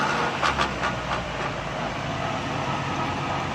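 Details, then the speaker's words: Car with a noise from the left side, raised and run in 2nd and 3rd gear with the wheel spinning. Dry clicking and clacking over a steady drivetrain hum: torn CV boot and worn joint. Planned fix: replace boot, add grease. "दोस्तों, इस गाड़ी में ये प्रॉब्लम है कि इसके अंदर से, ये आपको मैं दिखा सकूं तो ये देखें, घोड़े का बूट फटा हुआ है, अंदर से इसका क्रॉस हो चुका है, जिसकी वजह से ये आवाज़ दे रहा था।"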